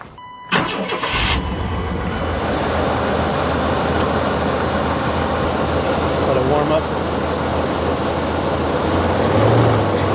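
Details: 1994 Chevy Blazer bought cheap with issues, 4.3 V6, cranked after new radiator and coolant fitted: settles into a loud, uneven, lumpy wandering idle; running rough, cause not pinned down.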